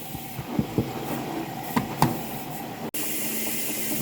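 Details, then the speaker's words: LG front-load washer WM4200HWA with grinding noise, later traced to the drain pump: a few soft knocks then steady hiss of water filling the drum; normal water fill, no grinding. "normal water sound so I don't think we hear it for the rest of the wash cycle it's only at the beginning"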